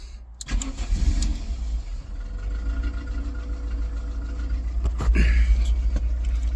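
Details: VW Polo 6N with AFH engine conversion, stripped wiring loom: after key-on and fuel pump prime, the engine cranks briefly, catches and settles into a steady low idle with no misses; starts and runs normally.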